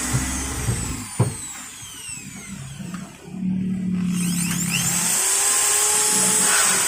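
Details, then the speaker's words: Maktec MT60 corded drill after servicing a fully stuck, buzzing motor that couldn't turn: now whirs up smoothly with a clean high whine, no buzzing or stalling, not stuck, normal motor run. "okay, guys, now it's normal, it's not stuck"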